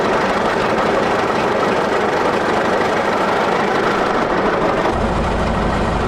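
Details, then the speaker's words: 1941 Caterpillar dozer, sat for a few years: steady, even diesel clatter at low idle with no misses or surges; it will only idle so far, more fuel needed once that stuff is cleaned out. "When he pushes it forward, it shuts it down. So, all it'll do is idle. Right now, all we got is idle."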